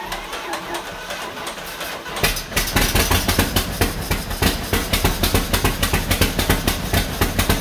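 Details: 1949 John Deere B tractor, first start after engine rebuild with used spark plugs: catches after a few seconds then chugs with loud, uneven pops about three or four a second; rough running, cause not confirmed.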